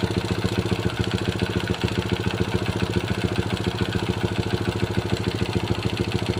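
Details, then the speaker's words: Honda Supra Pit New (2000s model) single-cylinder four-stroke idling after timing chain replacement, cover refitted, fresh oil: small even thumps about 3.5 per second, no chain rattle; mechanic still suspects piston and crankshaft bearing wear. Normal idle. "Oke teman-teman, tadi sudah kita dengarkan bagaimana hasil akhir setelah kita melakukan pergantian rantai timing. Rantai timingnya sudah oke, tidak mengeluarkan bunyi berisik lagi."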